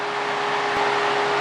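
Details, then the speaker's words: 2001 Honda 450 ES Foreman after the oven repair of the cooling fan module: the fan, triggered by heating the sensor, runs with a steady, even whoosh and faint hum, no rubbing or ticking, then shuts off on its own as it cools. "Alright, I'll come back when the fan shuts off, if it does. Yep, sure enough, it just shut off."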